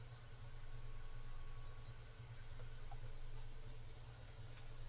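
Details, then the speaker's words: Cooler Master Mobius OC 120 fan at maximum speed: constant rushing air with a low steady hum, no clicks; fairly noisy at full speed with a significant cone-shaped airflow. "so that's the maximum um this one is kind of noisy to be honest and it does cone out like like this it's a fairly significant cone"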